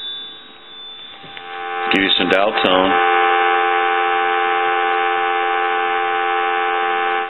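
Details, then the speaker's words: Pottery Barn Grand Phone after repair: two short ring bursts then a steady, clean dial tone with no crackle, hiss or hum; line now quiet. "so that's nice and quiet now"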